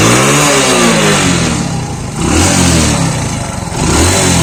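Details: Motorcycle after a piston and block rebuild to cure white oil smoke, revved on the stand: clean rev blips rising and falling smoothly with no misfires or rattles. Sounds perfect and the oil smoke has completely stopped.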